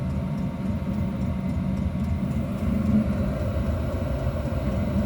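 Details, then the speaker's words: First start-up of a 5 kW Chinese diesel heater in a 2000 Argo, fuel pump mounted underneath at the back. A deep, even roar swells as the fan ramps up, with faint ticking from the pump: a normal warm-up. "you hear that ramping up you can hear the pump pump ramp it up"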